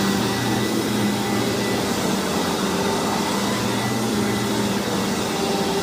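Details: Hoover WindTunnel vacuum test-run after a rebuild: loud, steady whoosh with a constant motor hum and no rattles or grinding. The motor is known to be loud on this model; running normally.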